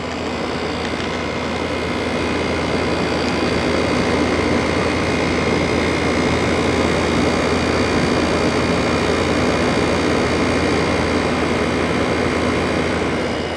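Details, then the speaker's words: LG ThinQ window air conditioner, about 10,000 BTU, after a capacitor change for a fan that would not start; mid-60s°F outside. LG compressor running: steady low hum with a faint even tone, no rattle. Normal, quiet compressor. "yes this does have an LG compressor which is pretty [Music] quiet"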